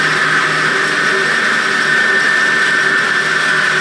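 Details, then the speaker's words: Motor on a 100-year-old forging power hammer, rebuilt with a newly fitted motor starter, run to clean the motor pulley: smooth, even hum with a steady high whine, no knocks or rubbing; healthy and quiet. "So I'm going to fire it up to clean that up. Right, so with the press of a button now, she should just fire on."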